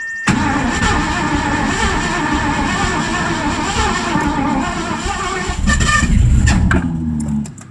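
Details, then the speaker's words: 1984 Mazda RX-7 with swapped Ford V8, new plug wires, fresh fuel primed with 3 pumps: ragged cranking that half-catches, then sharp pops and flames backfiring out the carburetor; weak spark, timing off. "Ooh, had some flames out of the carburetor there. We're getting closer."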